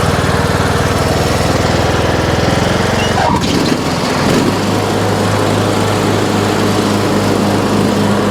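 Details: Troy-Bilt Pony riding mower, revived from scrap after electrical and steering repairs, mowing passes testing the deck: engine settles into a steady, even drone with blades engaged, no misses or knocks; runs excellent under load.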